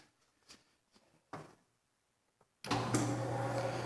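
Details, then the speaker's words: Restored 1937 Maytag Model 30 wringer washer; the motor was only vacuumed out and oiled: after a few handling knocks it starts into a smooth, low, even hum with no grinding or rattle, running quietly. "So it just purrs like a kitten. Not bad for an 80-year-old machine."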